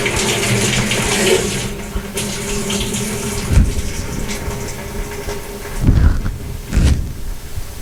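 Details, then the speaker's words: GE washer that won't lock or spin, in service test mode with the hot water valve toggled off and on: water rushes in strongly, eases, then surges again; the inlet valve fills normally. "we'll press the start and this will toggle the the hot water off and on so we're going to do that"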